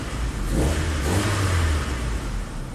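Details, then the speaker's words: 1998 Saturn, crank no start after a recent head gasket replacement: catches and climbs smoothly to a free rev and settles, no misses; starts and revs fine, no codes found. "It seems to start fine and"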